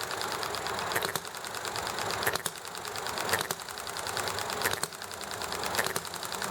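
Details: Enjomor small hit-and-miss engine: sharp firing pops roughly once a second with coasting gaps, over heavy background clatter from chatting, highway and alley traffic; normal hit-and-miss running.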